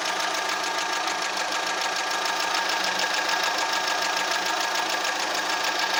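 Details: Fiat Punto petrol at idle: uneven, shaking idle with random stumbles though it drives fine; plugs, leads, air filter and mid exhaust already replaced and Redex used; cause not found.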